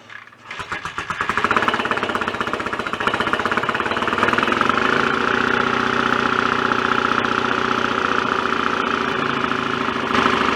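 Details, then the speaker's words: BSA A65 twin after rebuild, cylinder head refitted, first start on a warm day; catches after uneven pops, steady but dull, flat, lame beat, mechanically quiet. Retarded ignition timing, to be advanced. "but we've got a runner and it sounds okay too sounds uh quite good mechanically but very flat and lame due to the ignition timing I would say"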